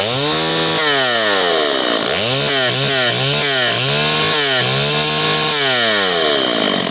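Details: Stihl 028 AV Super chainsaw after top-end rebuild with Highway cylinder, piston and kit, retuned, two tanks run: crisp two-stroke snarl rising and falling cleanly with throttle blips, no misses or bogging; runs healthy.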